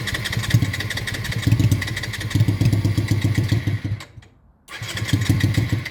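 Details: Honda Shadow motorcycle under restoration, after a stuck carburettor float left it leaking fuel. It starts on its own with an uneven thumping idle for about four seconds, dies, then fires again. The cause is unknown; the owner wonders about too much air or the battery.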